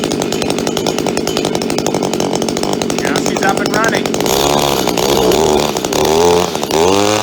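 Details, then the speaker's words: Mid-1990s Echo SRM-2400 two-stroke string trimmer, started with choke and primer: buzzy engine holds a steady note, then revs up and down cleanly with no stumble or misfire; normal, healthy running. "after you hear it act like it want to start just simply push the choke back in and it should start"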